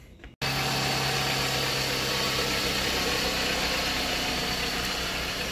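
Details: 2008 Jeep Patriot 2.4 after replacing spark plugs and refitting coil packs; engine catches straight away and settles into a smooth, even idle with no misfire or stumble; normal idle.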